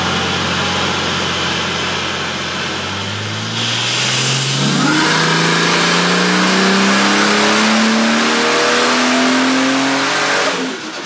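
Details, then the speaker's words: Ford F6 turbo on dyno, warmed up, after wastegate, trans cooler and timing chain fix: smooth strong pull, note climbing steadily as revs rise, no knocks or rattles; healthy turbo engine under load. "we're going to run it up we're going to see the power it makes hear it now cuz this thing should sound like a totally different animal"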